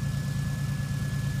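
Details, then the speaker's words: 1988 Oldsmobile Cutlass Ciera, six-cylinder fuel-injected, cold start at minus 22 after sitting since November, no exhaust fitted: loud, raw, unmuffled idle thumping about eight pulses per second, some smoke, firing well. "it's running and uh yeah it's firing quite well here no exhaust on it but you know what that does not matter"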